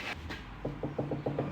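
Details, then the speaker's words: Car on a two-post lift in for drop links, oil change and air filter, wheel rocked by hand: about eight quick hollow clunks a second from worn anti-roll bar drop links. "you go you can hear that one so that definitely needs to drop links done you know that bad when you can hear them on a two post lift"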